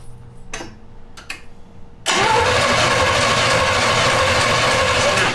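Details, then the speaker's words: 1971 Jaguar XJ6 with Chevy small-block V8, sat 5+ years, new fuel cell, plugs and wires: steady cranking with bursts that catch briefly but never settle; owner thinks it's running on residual fuel, not flooded, fuel starvation. "i highly doubt we flooded it but i think we're just running off a residual fuel"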